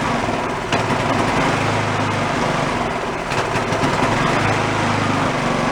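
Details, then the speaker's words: Yard-sale two-stage snowblower, small single-cylinder engine on choke with a squirt of fuel, running with a wavering, surging beat; debris speck in carburetor jet partly blocking fuel. Uneven running from carburetor debris. "yep we said that carburetors nice and clean it has issues there it is no if it shows up a little white speck right in the middle"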